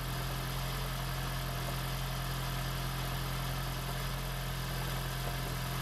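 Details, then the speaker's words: 2016 (4th-gen) Prius engine freshly swapped into a 2012 Prius V; smooth steady hum as the motor spins the engine unfired, turning freely and evenly, oil-pressure test. Oil pressure reached. "we got to plug in the ignition coils almost seems like it ran without the ignition coils I would never have expected that"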